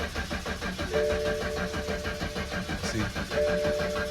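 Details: 2004 BMW with M54 engine, check engine light on: steady rhythmic starter churn of about three beats a second turns the engine over but it never catches; crank no start, cause not yet found.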